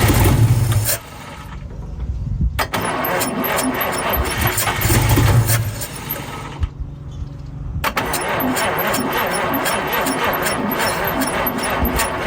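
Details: 1952 Chevrolet Bel Air 235 six, standing about 3 years, first start after fitting a new carburetor: cranks over in a couple of tries, then catches and settles into a steady, even idle; engine runs.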